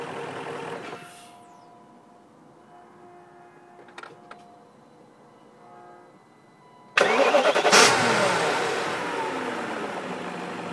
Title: Weird Engine Sound